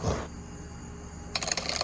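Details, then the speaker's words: Stihl MS290 chainsaw, chain pushed along by hand: rapid dry clicking, jerky catching; noise from the clutch. "But you hear that clicking going on? And it's jerky too."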